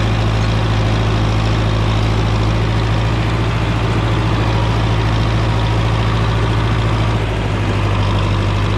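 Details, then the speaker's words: John Deere 3010 diesel tractor with eight-speed Syncro transmission: deep, steady clatter at a low, even idle, no misses or knocks; healthy idle after a front rattle was fixed. "things are looking good so that tractor sounds really nice like I said uh I fixed that one part in the front and took that rattling out of there"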